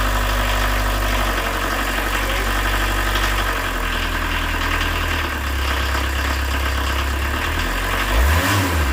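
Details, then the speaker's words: 1986 VW Jetta turbo diesel with almost no compression and a previously dry injection pump, running after glow plugs and injection lines were refitted: steady idle clatter, a quick blip and drop near the end, no misses; normal idle. "I traded an old junk snowmobile for this and I paid 150 for and then about what four hours work not even that includes getting it home here it is starts off the key"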